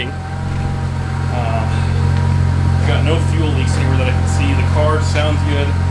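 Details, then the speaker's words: 2001 Audi S4 after repairing a fuel leak from a botched air-suspension install: strong steady low idle with clean rev rises, no stumble or miss; slow start because the fuel system had been disconnected. "obviously it took a little while to start up that's because we had the whole fuel system disconnected um but yeah seems like it's running okay it's not stumbling at all"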